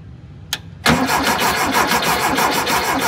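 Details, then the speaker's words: VW Thing air-cooled engine during a tune-up: a starter click, then a steady fast cranking churn at about three beats a second that never catches. It cranks but won't start after fuel was sucked into the filter to prime it. "do it not want to start the click is happening"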